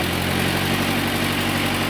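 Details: 1911 Buick brass-era car with an overhead-valve engine and an added electric starter, just started with choke on: steady low idle with an even firing beat, no knocks or misses; runs smoothly.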